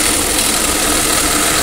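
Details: Tata Safari (new version), noise from engine front after start, at idle: harsh steady rattling whir over the idle, pointing to a failed alternator clutch pulley with broken balls, fixed by replacing the pulley.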